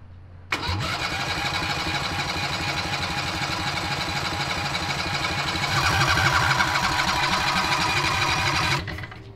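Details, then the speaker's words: Harbor Freight 670cc V-twin (modified, ~55 hp) on a mini drag rail, reassembled after sitting since coils contacted the flywheel magnet carrier; starter cranks evenly ~8 s with no firing pop: no spark, owners suspect coils gapped too much. "remember we always had problems with starting it up i guess we need to see if we have spark yeah let's we might have gapped it too much"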